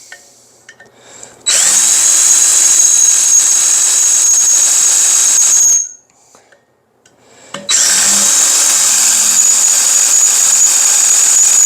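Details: Drilling metal with a sharp replacement bit after a dull 1/4-inch bit squealed: two steady bursts of high, even drilling with no rising screech, chips flying; the bit is cutting cleanly.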